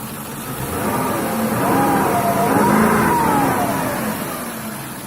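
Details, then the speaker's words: BMW 730 with M60B40 V8, knock from the left cylinder head with the body jerking; engine revs up and down with a regular knock about three times a second that rises with speed, cause unknown. "Подскажите, что за звуки такие? В левой голове. Машину поддергивает кузов."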